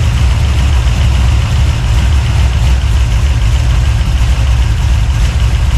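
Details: 383 stroker small-block V8, freshly built and swapped into a 1970 Monte Carlo, at first fire-up in the car: deep, choppy idle with an uneven rhythmic lope from the big cam, steady with no knocks; normal lopey cam idle.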